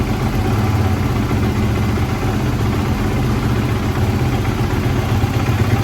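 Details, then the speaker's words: 2016 Kawasaki KX450F four-stroke after new bottom end, clutch cover, kickstarter, air filter, spark plug and valve clearance check: deep, steady thumping idle with an even beat and no knocks or rattles; strong, healthy. "nice and strong add a nice idle to it after that b touch"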